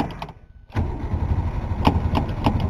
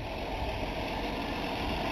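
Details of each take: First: 1962 Ford Falcon 200 ci six, first start in a long while after priming a temporary gas tank: starter churns a steady rhythmic crank without firing while the pedal is pumped; crank no-start, fuel possibly not yet at carburetor. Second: 1962 Ford Falcon, apparently 200ci six, just started after a long sit by pumping the carburettor: smooth even idle, low steady rumble, no ticks or misses — normal idle, runs like a champ.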